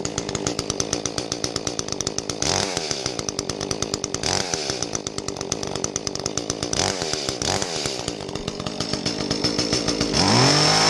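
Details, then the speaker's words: Echo CS-310 small two-stroke chainsaw after the plugged spark arrestor screen was cleared and the muffler bolted back on: it runs crisp and even with a fast, steady buzz and a clean exhaust bark, breathing freely. "um and at the end of the video it sounded clear"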